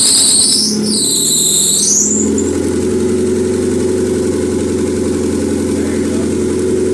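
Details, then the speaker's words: Honda Civic EM2 just fitted with a stock D17 engine (to run 10 psi boost), downpipe not yet connected: brief high warbling squeal over a rough, loud idle from a loose drive belt needing tightening; engine otherwise sounds good. "this belt just needs to be tightened so that fat squeak himself more but yeah she sounds good"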